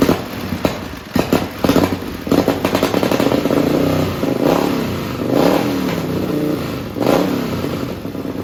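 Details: Racing lawn mower engine on methanol: loud crisp blips up and back down in sharp bursts, revs to about 9,400–9,500 rpm climbing cleanly without stumbling; pulls strongly, normal.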